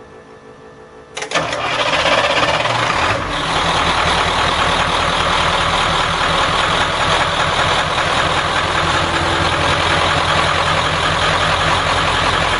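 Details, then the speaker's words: 7.3 diesel swapped in for a 6.9 IDI on a 1989 International S1600, fully warm after running nearly 2 hours, no leaks: shut off and restarted; quick crank catches cleanly, steady even clatter at idle, no miss or knock; healthy warm restart. "Alright, now that it's good and warm, I'm going to shut it off and do a restart."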